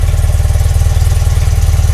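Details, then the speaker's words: BMW R100RT boxer twin with no service history, before a custom build: an even, quick low thump at idle with no ticking, tapping or knocking from the heads. It sounds healthy. "sounds healthy. And there's no no noise from the heads, no engine knocking, tapping, anything."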